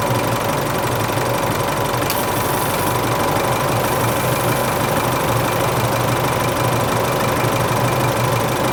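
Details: Isuzu Euro 4 diesel at idle on its first start after replacing the A/C compressor and alternator belt tensioner pulleys and both belts, which had squealed slack on the first start of the day; steady diesel clatter, no belt squeal, quiet belts and pulleys.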